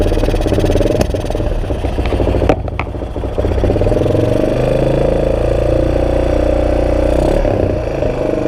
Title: XT600e 2002 Misfire